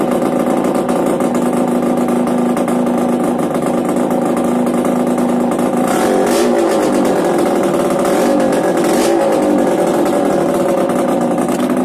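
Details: Yamaha DTR 125 two-stroke, engine from a 2007 electric-start bike, first start after new unrestricted Gilera SC CDI, new seals, powervalve fully open, 240 main jet, Big One exhaust; steady crisp buzz then sharp clean revs, pulls freely, normal running and revving.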